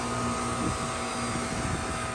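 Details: Goodman 3-ton 16-SEER condenser, 7 years old, running after new capacitors were fitted and the contactor pulled in with 25 V: steady hum, constant mid-pitched tone and fan rush, no clicking or straining, compressor running normally.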